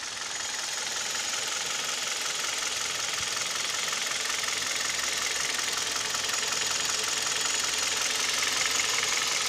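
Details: Kia/Hyundai Theta II G4KD petrol engine at idle, recorded from inside the cabin, owner reports piston knock and vibration at idle and knock at 1500 rpm: fast, even metallic ticking knock about three beats a second over the idle; engine knock at idle.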